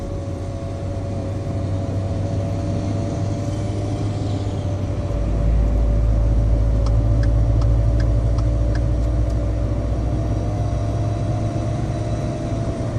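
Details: 2013 Ford F-150 with a failing turbo: steady engine drone with a constant mid-pitch tone riding over it and a few sharp ticks.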